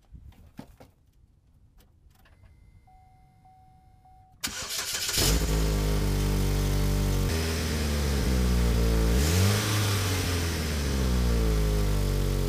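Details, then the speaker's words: Chevy Equinox before muffler replacement: cranks and catches, then loud raspy exhaust note swelling with revs; the muffler itself is broken, to be cut off and a new one welded on. "It's actually broken on that muffler itself, and I have a brand new one for it that we will be cutting this one off and welding a new one on there."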